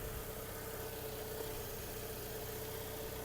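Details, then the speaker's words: 2008 Volkswagen Golf 5 1.6 MPI petrol, 187,000 km: smooth, even idle with steady low hum, no knocks, misses, smoke or ticking; engine runs quietly and evenly, normal idle. "Мотор працює тихо рівно не димить не троїть"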